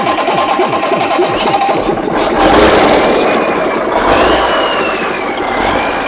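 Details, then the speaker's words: Big Cam Cummins NTC 365 diesel: slow cranking thumps, catches and settles into steady clatter with no misses, no smoke; healthy start, appears to be oiling all cylinders. "Man, that thing runs good, don't it? Almost like James knew what he was doing. Wow. Doesn't smoke. Runs good."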